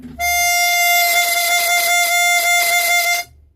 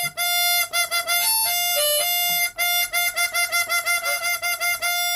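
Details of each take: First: And it gives you this oscillating beat where the Windsaver is being sucked in, and then the pressure takes it out again, and then it's sucked in again. And that's what you can hear there. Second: Chromatic harmonica after fitting a stiffer, trimmed two-part windsaver: clear, steady reed notes ring true on every draw with no flutter or buzz even on hard breaths; windsaver flutter fixed.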